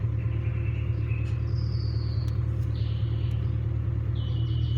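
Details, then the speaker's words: 2000 Ford Mustang 4.6 V8 coil-on-plug, after misfire repair (previously shook at idle at stoplights): steady even low idle rumble with no stumbles, all cylinders contributing, radiator fan running. "pero el carro está trabajando súper bien amigos súper bien prácticamente pues prácticamente ya se corrigió este problema amigos"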